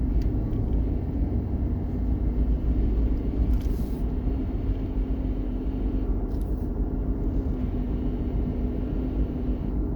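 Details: 2016 Chevy Silverado while driving: low road rumble with a steady mid-pitched whine that sags slightly partway, droning from the undercarriage.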